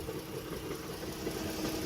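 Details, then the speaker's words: Idling engine with a rough, uneven low knocking that sounds like rod knock but is a broken, rusted flywheel. "That is not bottom end rod knock or anything like that, guys."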